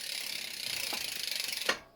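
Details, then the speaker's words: Bicycle drivetrain on a stand, front derailleur just set up, gears shifted quickly while pedalling: fast, even ratcheting ticks, then one crisp shift click and quiet; clean shifting with no grinding. "I also you kind of need to replicate reality and and change gears faster"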